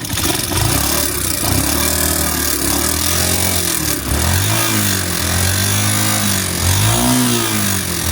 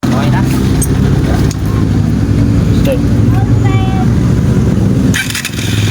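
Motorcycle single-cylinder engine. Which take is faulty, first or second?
first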